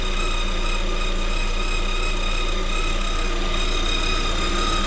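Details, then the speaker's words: 2021 Lada Vesta at about 3,000 km: steady thin whistle under the hood over an even idle, growing louder; seems to come from the alternator area, possibly a tensioner or idler roller, unconfirmed. "наш ролик свистит все сильнее вот если слышите да ест идет явно от генератора получается"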